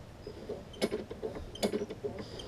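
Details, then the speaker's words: Free push mower from a three-mower batch, right rear wheel found frozen and packed with dirt, freed up: creaky clunk about every 0.8 seconds as the wheel turns; clunking from packed dirt inside the wheel. "was actually so much dirt in the right rear wheel that had been I guess clogged up that it even you probably can't hear it on the video but she can still hear kind of clunking around in there"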